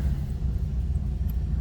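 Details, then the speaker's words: 1950 Mercury coupe street rod, already run briefly earlier so slightly warm, started with key and starter button: catches easily into a deep, even rumble with no misses or knocks as oil pressure comes up. "all easy this car starts each time see the oil pressure coming up"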